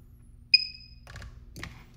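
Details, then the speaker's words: New AliExpress hobby spot welder (redesign with half the MOSFETs) firing: single sharp snapping crack with short ringing tail, a triple pulse; normal weld pulse, though the resulting welds look fairly weak. "you can hear the triple pulse. Okay, these look fairly weak, but maybe they're just very concentrated."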